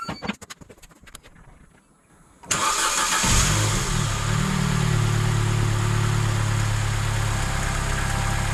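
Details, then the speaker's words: Vauxhall Corsa after replacement starter fitted, cold snowy day: quiet, then quick crank catches and settles into a smooth, even idle with no misses or grinding; healthy start. "so it starts again sounds good"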